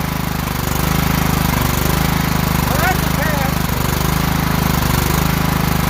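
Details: Kohler single-cylinder riding mower from an auction, started by jumping the starter because the solenoid clicked but gave no crank: a low, steady thrum with even firing pulses and no knocks or misses, running normally; starter solenoid suspected.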